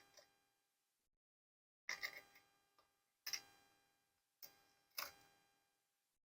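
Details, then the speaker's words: Sony MDS-JE510 MiniDisc deck after repair with a new slide-press switch: short clean clicks and whirs as disc loads, is read, track count recognized, and ejects first try; no abnormal noise. "enta entra el midis está leyéndolo reconoce cuántos track tienes y si lo voy a expulsar me lo expulsa a la primera y no hace ruido"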